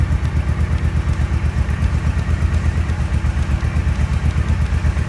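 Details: 2014 Suzuki M90 motorcycle after fuel pump replacement, fuel system primed several times: even, deep thumping idle at a steady beat with no pops, misses or backfires; previous popping gone; normal idle.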